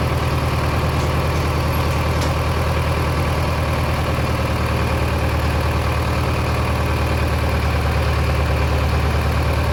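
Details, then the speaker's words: Mid-1960s John Deere 3020 diesel tractor, about 477 hours and mostly original, first start after sitting five years: a steady, even, low diesel chug with no knocks or misses. It is running normally again at idle. "So, that's got us back up and running."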